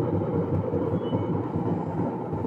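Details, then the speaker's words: LG washer-dryer model WD 12596 RW: loud steady low rumble from spinning drum; shaft has a lot of play, worn drum bearing needing replacement. "LG tá fazendo esse barulho o modelo WD 12596 RW mas faz barulho nos outros modelos também"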